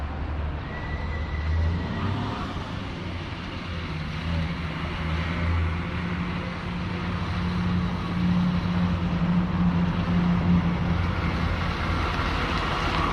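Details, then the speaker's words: 1937 Chevy 216 inline-six barn find, driving slowly around a parking lot: low steady even hum with no stumbles; running good. "Alright, so that's that. It is running good."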